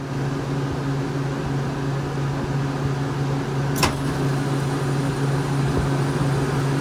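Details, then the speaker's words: Walk-in cooler box that was not cooling correctly and sometimes icing up: steady low hum with one sharp click near four seconds as the solenoid valve energizes and feeds, cycled repeatedly to catch sticking; normal solenoid operation. "Alright, so I can hear the solenoid. I'll set it down, you'll hear it energize and feed."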